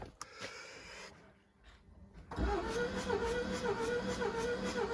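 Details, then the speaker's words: 2018 Jaguar XE 2.0 Ingenium, barely running/crank no start: starter cranks about 220 beats a minute, uneven lopsided rhythm during compression test; one cylinder down, others around 250. Low compression in one cylinder. "But there's something happening and we are down on a cylinder."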